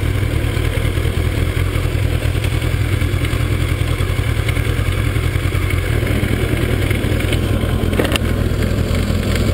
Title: Kawasaki zx12r engine knocking